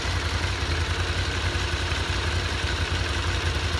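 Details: Honda VFR 750 motorcycle, warm with the fan on, after clutch basket repair for hot knocking that worsened with the clutch pulled: light, even top-end ticking over a steady low thrum. Normal idle, no knock.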